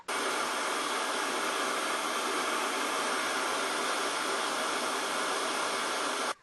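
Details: Samsung 1600 W vacuum cleaner after replacing the burnt motor (old VCM-K50), first run without filters: steady, even high-pitched rush of air from start to switch-off, no grinding or surging; new motor running smooth.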